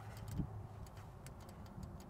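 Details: Case diesel tractor, no-start: once a missing ground is fixed and power is run to the injection pump, its solenoid gives faint, sharp, irregular ticks over a quiet low rumble, showing it is getting power and clicking.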